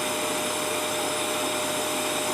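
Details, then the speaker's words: Prestige 2000 W induction cooktop, after repair of a dead unit, on power boost reaching maximum in 3 seconds while heating water: steady, even fan rush with a faint constant high tone; normal operation at full power. "देखिए इसका power बढ़ गया। 3 second जो दिया 3 second में इसमें maximum से maximum इसमें पावर आ जाता है।"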